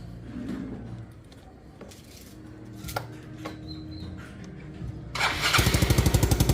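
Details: Yamaha Mio scooter with hard starting and high idle: several brief crank attempts before it catches and settles into a fast, pulsing idle.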